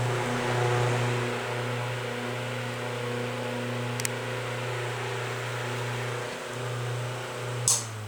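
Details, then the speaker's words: Vintage electric fan running: smooth, constant low motor hum with soft airflow, no ticking, rubbing or wobble; runs clean and healthy. "it's got funny looking kn on it though but this one runs very nice yeah I really like it it's one of those where you can just set up and get a nice little breeze"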